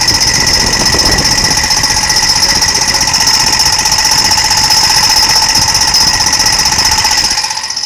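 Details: Vehicle engine bay: a loud, piercing, high-pitched squeal pulses rapidly and evenly while the engine runs, then fades; the owner suspects the fan and believes it is not the transfer box, but this is unconfirmed.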